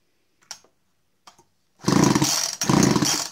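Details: Husqvarna 51 chainsaw bought early 1990s, stopped while cutting firewood; good spark seen at electrode; two hard pulls give fast ratcheting bursts but engine never catches; cranks, won't start.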